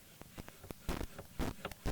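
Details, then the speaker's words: Analog mixer channel pot turned before cleaning: irregular scratchy crackle and pops over a quiet hum; dirty potentiometer needing contact cleaning. "there's a little bit in this one alright so we know most of these channels do need to be cleaned some more than others"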